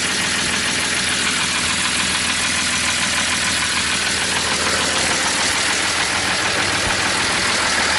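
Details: BMW E46 with M54 engine at idle, run after doing donuts: loud, fast clattering ticks over a harsh idle like a dry valvetrain; extra oil didn't fix it. Oil pump nut came off, so no oil pressure reached the lifters.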